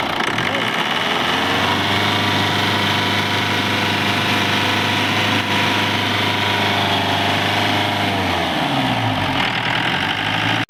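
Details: Jeep diesel engine after gearbox, engine, diesel pump and collapsed radiator hose repairs for a humming noise and overheating: steady, even idle with a smooth hum and no knocks or whine, then the engine winds down and stops.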